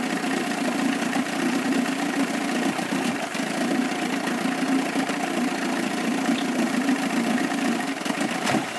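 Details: 1998 Evinrude 25 outboard misses at low rpm, lower cylinder only; uneven stumbling idle with occasional dropped strokes; good spark both cylinders, charge coil 330 V, power pack 170 V, trigger 10 V, carb cleaned, coils and plug wires swapped, cause not found.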